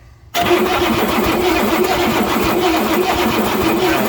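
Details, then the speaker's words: 1967 Ford F100 with 429 big-block V8, spark tester fitted, no spark seen: starter spins the engine at an even churning rhythm but it never fires; cranks but will not start. "I'm not seeing any Sparks still"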